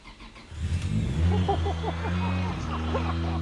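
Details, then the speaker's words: Nissan 240sx S13 with a swapped twin-turbo Toyota 1JZ from a Soarer, first start after priming the fuel pump: short crank, then it catches and settles into a smooth, steady idle on the first try; normal start. "She starts! Yo, boy. Oh, it starts! God, I'm so excited. All the lights work and everything. Everything works. First try. Sounds good too."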